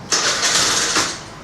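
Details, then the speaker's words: TVS Scooty Pep+ with ignition on: the engine catches with a brief one-second burst, then dies straight away when the throttle is touched, so the scooter won't move. This is a stall right after starting. "బండి start అవ్వడం వెంటనే ఆగిపోవడం ఇట్లా just కొంచెం అంటున్నానే ఆగిపోతుంది అన్నమాట"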